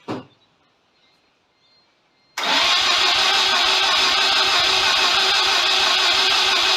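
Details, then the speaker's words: Mazda FC RX-7 project after rewiring and a reinstalled Microtech MT8 ECU, cranked on a small spray of brake clean: quiet, then the starter spins at a steady three-odd beats a second with no firing; no kick, and the owner suspects no spark, unconfirmed. "certainly didn't sound like it had any spark that was for sure no kick no nothing"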